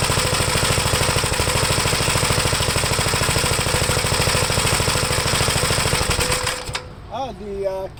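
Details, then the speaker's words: 1973 Gravely C8 walk-behind tractor, single-cylinder, first run after points cleaned and gapped and the leaking carburetor replaced: steady, even beat about 2.5 firings a second, no misfires, clean stop via the handlebar kill switch; runs pretty good, air cleaner off. "okay so not bad it's pretty good i'll make some final adjustments"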